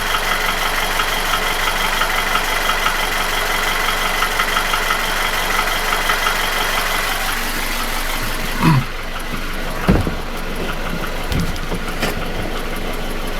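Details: Nissan QG16DE without hydraulic lifters, 2,000 km after new piston rings, oil rings, chain and guide: knock at idle began 1,500 km ago, persists after oil change, fades with revs; owner suspects front of block between cylinders 1 and 2.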